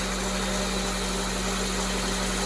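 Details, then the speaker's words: Honda CR-V with JDM B20B head swap, first start after cranking to build oil pressure: steady even idle hum at 1400 rpm, no ticking or tapping, no more bubbles versus the earlier tick-tacking; normal idle. "hold an idle at 1400 no more bubbles no more ticking awesome crazy to go from this"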